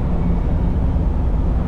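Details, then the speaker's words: 2010 Ford E250 after repairing a high-resistance starter signal harness and an open fuel pump relay ground, temporarily run to the battery negative: deep, steady, even rumble with no knocks or misses, and the battery light is gone; running normally. "battery lights gone seems like it's good"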